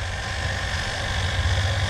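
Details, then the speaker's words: Household water pump running with well water supply, temperature sensor taped to the pump body reading 46 °C: steady, even motor hum with smooth whir, no rattles or surging; running normally. "Nah, seperti ini. Ya, ini kondisi pompa air sedang menyala. Ya, kita lihat suhunya 46 derajat."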